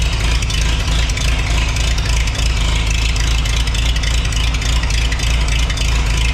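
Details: Antique Farmall H tractor running on a freshly rebuilt carburetor after fuel system cleaning and new strainer: deep, steady thumping beat at even idle, no misses, knocks or surging; carb not leaking; normal running.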